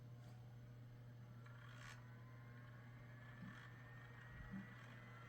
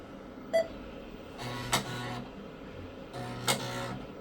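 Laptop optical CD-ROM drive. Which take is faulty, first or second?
first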